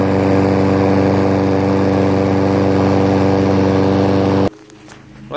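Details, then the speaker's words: Mower after carb cleaning (water found in fuel), pull-started with no choke and no primer: steady, even putter at constant speed with no hunting or misses until shut off; smoother after initial surging. "I just saw there it runs smoother than everything has that surging in the beginning"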